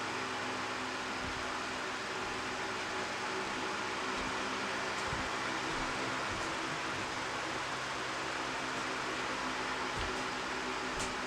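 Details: Roughly 16-inch or smaller multi-speed fan, a bigger version of a Glasgow Cool Colors model, stepping down to low and off: steady airy whoosh with a faint even motor hum and no ticking or rubbing; running smoothly and healthy.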